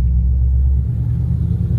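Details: 2018 Dodge Charger Scat Pack, 6.4L Hemi V8 with long-tube headers, after an AMSOIL engine flush and 0W-40 oil change. Deep, steady exhaust rumble on loaded shifts with no whine; the differential is quiet and healthy.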